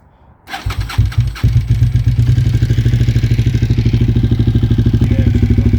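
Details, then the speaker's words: Motorcycle first started right after its first fluid and oil change since purchase; starts on the first crank and settles into a steady, even idle with only light valve ticking. Normal, healthy idle. "So, there she is. She got her started up."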